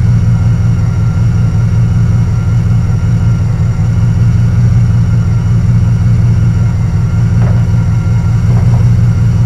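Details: Carbureted Camaro Z28 V8 with a stalling history, after a distributor swap and radiator repair, timing set to about 6.5: an even burble with a smooth, steady rhythm and no misses. It idles cleanly.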